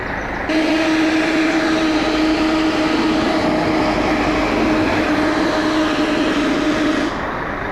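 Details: Arriva North West Scania L113CRL bus: loud steady whistle-like tone, possibly an air release, held about six seconds over bus noise then cutting off; source unconfirmed; loud sustained whistling noise.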